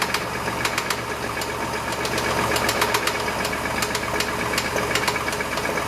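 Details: Chevy S10 engine at idle: sharp, fairly regular ticking knock about four per second, isolated to the engine; owner suspects rod knock, unconfirmed.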